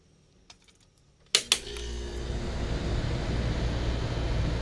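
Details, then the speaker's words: 1970s Westinghouse 6,000 BTU air conditioner, newly installed, 70°F humid day: a couple of clicks, then kicks on into a smooth, steady fan rush without rattles; surprisingly quiet, healthy. "Damn, that sounds nice. I'm amazed. I thought this unit was going to be a lot noisier than this, but that's not the case at all here."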